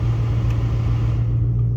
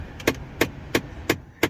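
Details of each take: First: 2005-2009 Mustang after replacing both blend door actuators: steady low blower rumble with no clicking from behind the dash; normal HVAC blend door operation. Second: 2005-2009 Ford Mustang: crisp, evenly spaced clicks about three per second near the defrosters from the blend door actuator behind the gauge cluster skipping its gears; fixed by replacing the actuator.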